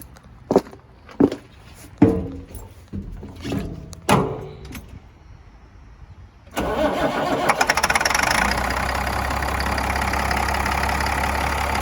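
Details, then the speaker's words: Cat 3126B diesel after HPOP (high-pressure oil pump) replacement, restart after the initial startup already cleared most misfiring and air from the system: a few clunks, then it fires at once and settles into an even idle with no misfire; normal start. "I did the initial startup, and it's got most of the misfiring and air out of the system. But I'll fire it up again here."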